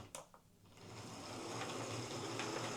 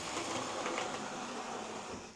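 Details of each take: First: Hornby HST model locomotive, the second of two in for service and new brushes, on test track: soft, steady whirr at even pitch with no clicks or grinding, much quieter than the rough first one; seems okay. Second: Old Hornby HST model locomotive test run before service and new brushes: an uneven, gritty motor buzz, rough running that needs extra power to pull away; the cause is not pinned down.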